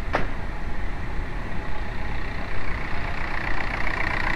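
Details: 2006 VW Mk4 TDI BEW diesel, 100k km, at idle: faint whirring rattle over the diesel clatter; loose, worn water pump.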